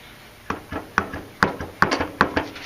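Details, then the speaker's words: York LSU condenser fan motor, unit suspected low on refrigerant: sharp irregular clunks as shaft rocked, lots of play; bearings worn, motor bad and replaced. "See all the slack in that motor? It may not look that bad on camera, but trust me, it's bad."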